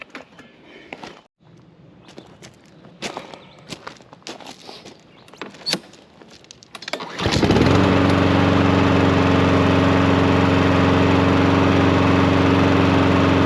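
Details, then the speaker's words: Troy-Bilt 21in self-propelled mower with a Honda engine, after repair: three carb cleanings failed, so the carburetor was replaced and a new spark plug and fresh stabilized gas added. After some handling it catches and settles into a steady, even, smooth run, like new. "And I cleaned the carburetor about three times and didn't have any luck with it. Put an $18 card from Amazon on it and she's running like new."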